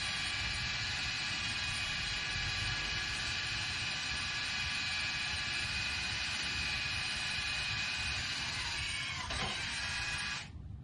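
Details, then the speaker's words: Rear electric parking brake calipers commanded by an Xtool D5S scan tool, ignition on with the vehicle stopped: a steady high motor whir for about ten seconds that stops cleanly as the calipers are driven back on from retracted; applying normally. "there they are they're retracted and just to make sure that you can hear them go back the other way so right now they're retracted to where you could put breake pads on your vehicle"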